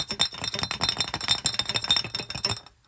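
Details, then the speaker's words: 1977 Dodge tow van, brand-new fuel filter shaken before installing ahead of a new Holley carburetor: sharp glassy clinking as something loose rattles inside the filter; filter rejected. "Um, something ain't right there. So now we get to go to town, waste an hour driving, but I will be damned if I send any junk into an $800 carburetor."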